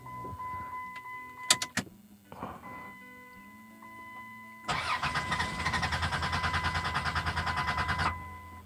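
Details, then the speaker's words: 2004 Dodge Grand Caravan 3.3L V6 crank-no-start: starter churns evenly about three seconds with a regular chug of compression pulses but never fires; fuel pump circuit to be diagnosed, cause not confirmed. "dodge grand caravan today we have a crank no start okay"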